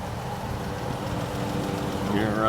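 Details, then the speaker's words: 2014 Ram ProMaster 3500 cargo van, 3.6L V6, automatic with new transmission, serviced at 126,024 miles: steady even idle hum with low smooth rumble, no knocks or misses; runs and drives great. "I mean, it runs and drives great, and hopefully this helped answer some questions."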